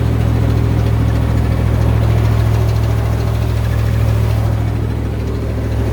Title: 90 Bronco Weird Noise